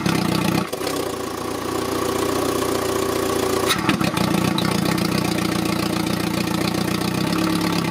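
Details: Citroën; idle hum wavers with uneven pulses and dips, hunting rather than settling; drive-by-wire throttle readings matched the pedal, idle air opening later closed slightly; unstable idle.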